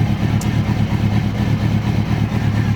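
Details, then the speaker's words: Kawasaki Ninja ZX-636 after rebuild, fuel injection install and fixing a sparking fuel pump connector, FI light on: low, steady throbbing idle with even pulses and no misses or knocks; normal idle. "success the bike is up and running"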